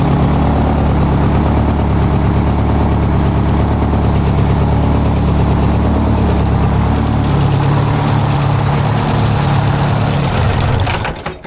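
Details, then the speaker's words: 1973 Freightliner cabover, straight-piped Detroit 8V71 two-stroke diesel with rebuilt blower, valve covers off; loud deep slightly uneven idle with popping exhaust pulses, spitting from the straight pipes, slight haze on right side. "Thing's just spitting."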